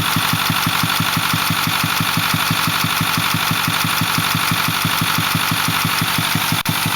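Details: Ford 6.4L diesel, 208,000 km (129,000 mi), Banks 6 Gun and Ram Air cleaner, runs smooth with full boost: regular thump about 1.5 times a second over a smooth idle from the intake; cause unknown.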